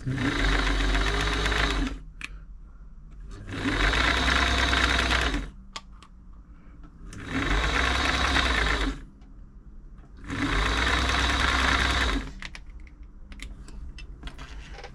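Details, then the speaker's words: Singer 507 sewing machine being serviced for feed dogs not moving fabric, run in bursts while oil works in: fast dry rattly clatter that gets quieter as lubrication spreads; dry mechanism noise. "oil can make it and it's dry it can make it really noisy"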